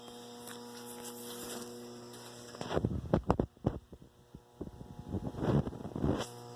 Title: real paranormal activity? fridge making noises